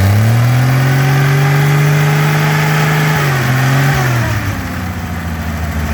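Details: GM 261 CI inline six, running on weed-eater gas after only new plugs and fuel in the carburetor: it catches and revs smoothly, then drops back to a steady, even idle with no knocks or misses. It sounds healthy.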